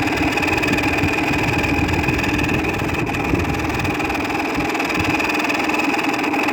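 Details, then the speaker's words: 2000 Whirlpool window air conditioner, about 6000 BTU, neglected outdoors two years: steady loud drone with rattling buzz and constant whining ring that later fades; typical worn fan motor bearing noise. "that's actually quite a typical nice bearing noise"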